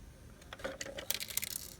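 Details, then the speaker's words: Irregular light clattering and ticking in short bursts from an SL100W unit, like something loose inside, possibly a loose transformer; cause unknown. "What's this cluttering sound? Look at it. Hear it? Like a transformer got loose or"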